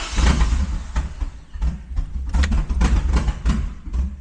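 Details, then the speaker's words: Truck finally starting after ignition repair, so spark is working, but it runs very badly: a lumpy, uneven idle with irregular surges and dips, as if a cylinder has dropped out. Owner suspects compression, valves or a wrongly installed spark plug, not confirmed. "So, she does run and start, but very, very bad. catches on, but not great."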